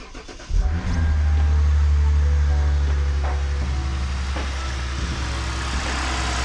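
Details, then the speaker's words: Lexus IS350 with bent radiator support, first start after sitting a while, coolant just topped up: short crank, then catches into a steady, even low idle with no knocks or misses; normal start. "and then I'm actually gonna go start her up right now and I haven't turned it on in a while so see here we go"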